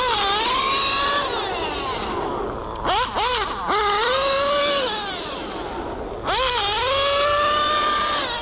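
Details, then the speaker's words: Modified OS 28 XZ nitro engine in a stock Mugen MBX8T truggy, Hipex 2095 pipe, B5 manifold, high end leaned out, around 40,000 rpm, about 50 mph; engine screams cleanly through throttle blips despite a worn, skipping rear diff. Normal high-rpm running. "Despite the popping differential in the back because the gear stripped out, it was running sweet."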